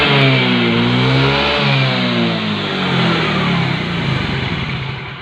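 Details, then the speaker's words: Yamaha Mio J scooter after fixing high, self-rising idle by replacing the broken sensor seal gasket with a thicker one: it revs briefly, then drops back to an even, steady idle; fixed. "Kami memutuskan untuk menggantinya dengan yang sedikit lebih tebal dan syukurlah kami mendapatkan hasilnya dan masalah sepeda motor pun teratasi."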